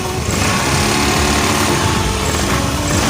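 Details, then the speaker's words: Honda Beat scooter single-cylinder engine at idle after replacing crankshaft bearing damaged by earlier oil starvation, fan and cover not yet fitted: even, steady putter with no knocks or rattles; runs smooth. "oke teman-teman motornya sekarang sudah selesai pasang ya untuk pembongkaran sengaja tadi tidak saya videokan jalan takut terlalu lama durasinya nih sekarang kita dengar suara mesinnya halus"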